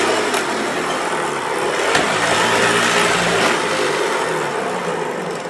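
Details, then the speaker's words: 1994 Hoover Turbopower 2 Autosense U2462 upright vacuum, listed as good working order but not in good order: steady hissing motor roar with a coarse, uneven rumble and odd clicks; brush roll runs rough, cause suspected, not confirmed. "Yeah, the listing said it was in good working order. Well, I don't think this one is in very good working order."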